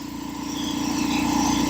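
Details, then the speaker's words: Old air compressor revived after sitting, running and building pressure, cutting out near 135-140 psi: steady pumping beat with light quick rattle building slightly; no air leaks heard, rattle source unknown, fittings to be checked for tightness. "Seems like it's working fine. I don't hear any leaks. I hear that little rattle. I don't know what that is."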